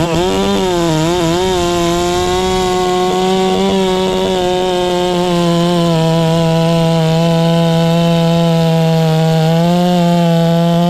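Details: Ported Farmertec MS660 two-stroke chainsaw, newly tuned with extra muffler port and advanced timing: loud, steady high-revving drone barely sags cutting a hollow-centered log; strong, normal cutting under load.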